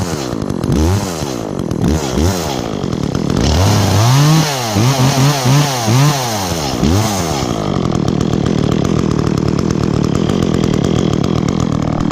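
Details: Echo chainsaw, chain worn from maple cutting, last run two or three weeks ago, started on choke after priming with chain brake on: crisp buzz climbs and drops cleanly through quick revs, then settles, no misfire; bar oil spews when revved, healthy running and revving.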